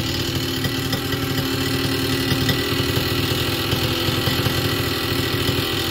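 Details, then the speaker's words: Warm Vittorazi Moster 185 paramotor two-stroke with the low needle just leaned out. At idle the revs sag after a throttle blip and then slowly creep back up, showing a lean low-speed mixture, though close to ideal. "start it's probably too lean on the low needle i just leaned it out we'll see how it starts"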